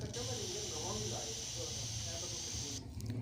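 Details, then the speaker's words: Tecno Spark 7 phone ringer speaker: harsh, raspy, torn buzz over the ring tone, like a generator running; distorted ringer sound persists even after the sound IC and power IC were reworked. "जी, तो ये देखें, इसकी आवाज़ जो है फटी फटी सी, जैसे कोई जनरेटर चल रहा हो वैसे आ रही है।"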